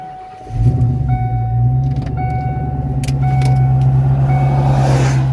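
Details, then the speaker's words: 1998 Kenne Bell supercharged Cobra, flex fuel, tuned on E85 (about E88) with fuel pressure raised to 60 psi: cranks and catches right away, then a steady, even low idle with no misses or knocks; good idle. "Good idle."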